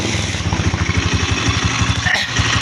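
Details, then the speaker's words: Engine run with the valve cover open and spark plug refitted after a valve tappet adjustment: fast, even, loud top-end clatter over idle; no oil climbs through the feed hole, so the dry rocker arm gets no lubrication. "So wala pong langis na sumasampa rito sa butas na to. Hindi na susuplayan yung kanyang rocker arm."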